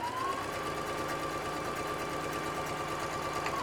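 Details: Singer SE9185 sewing and embroidery machine sewing with single needle, foot pedal, speed raised slightly: fast even stitching chatter over steady high hum, no knocks or catches; normal running.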